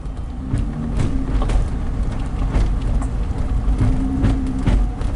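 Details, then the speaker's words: 2003 Nissan Murano, code P0725 (engine speed signal), CVT repaired a year earlier: sharp popping knocks every half second over road rumble at about 15 mph; binding transfer case suspected, not the transmission. "My guess is that the transfer case is what's causing the problem, not the transmission."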